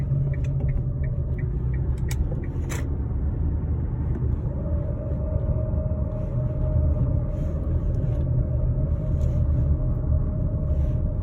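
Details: 2013 Kia Sportage LX AWD automatic coasting: steady whirring/grinding over road rumble, persists in neutral, gone when accelerating or briefly over bumps, seems front driver's side; turned out to be a bad driveshaft center support bearing.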